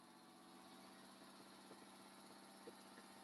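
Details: Porsche 997 flat-six on second start attempt after complete engine build, warming up with coolant below minimum, water dripping from exhaust junctions, oil pressure about 5 bar: quiet, even idle with steady hum, no knocks, misses or ticks; healthy normal idle.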